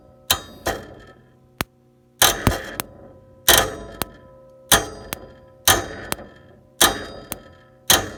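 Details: Bryant (Day & Night) 395B gas furnace: intermittent failure to start, sharp clicks roughly once a second with no fan hum as the inducer fan fails to start; traced to the inducer fan control board HH84A0007.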